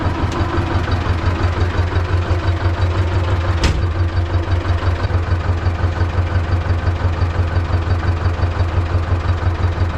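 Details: T-16MG self-propelled chassis tractor, D-21 diesel, after clutch adjustment with 2 mm release bearing gap per the manual: steady, even low diesel chug at about two beats a second, no knocks or misses. Normal idle.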